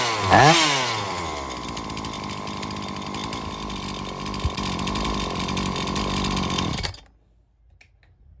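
Saw catches, revs up sharply, then holds a steady buzzing run before cutting out; weak ignition module only fires across a small gap.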